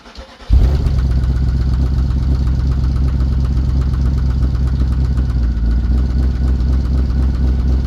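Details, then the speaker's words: VW Touareg 4.2 V8 after off-road day and tow home: catches then settles into loud harsh clattering idle, noise seeming from top of engine while smoking from bottom, oil pressure and coolant warnings, no coolant found; cause unconfirmed. "It will start up, but it is noisy as hell. So I'm going to have a look at it. Sounds like it's coming from the top of the engine, but it's smoking from what looks like the bottom."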